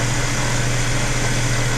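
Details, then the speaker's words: New custom driveshaft for a 1981 Toyota pickup spun on a balancer at about 2,400 rpm (about 50 mph) with no balance weights yet; loud steady low drone with a throbbing hum, one end vibrating, so it is out of balance. "But it's, you know, it's making some noise. We can hear the noise. But you can put your hand on this. This end is actually super smooth. This end you can kind of feel it. Yeah. But that's with no balance weights."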